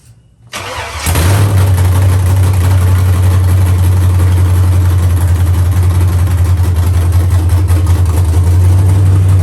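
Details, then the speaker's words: Dropped Chevy truck, cammed 5.3 V8 (Texas Speed 232/234 cam, 110 LSA), after wiring fixes: starts cleanly and settles into a loud, deep, steady lopey idle with even beat and no knocks; healthy normal idle. "from here it's adding on to the motor it sounds good it sounds healthy"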